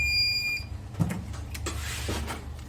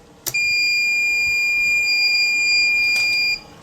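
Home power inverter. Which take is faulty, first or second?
first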